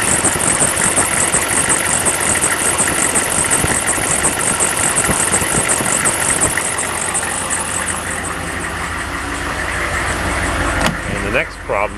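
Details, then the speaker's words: Diesel at idle, warm, with a modified GM alternator on a homemade bracket: shrill chirping squeak about twice a second, gauge dropping momentarily as revs fall; belt squeak from misaligned alternator. "you can hear the squeak from the alternator as well you can see the problem with the gauge dropping"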